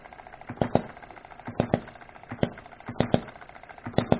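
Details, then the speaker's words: Hobby hit-and-miss model engine running normally: sharp firing bangs usually in pairs about every second, coasting quietly between, occasionally a single hit; timing adjustable. "But it sits there and runs pretty good. Usually hits twice and then coasts."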